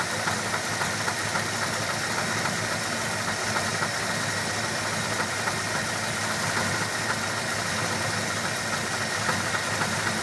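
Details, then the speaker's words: Engine (described as new) idling after fuel pump replacement: a fast, light, rhythmic knock persists throughout, maybe worse, maybe not; knocking noise, cause unknown. "New fuel pump, and still have the sound. Maybe worse, maybe not, but here she is."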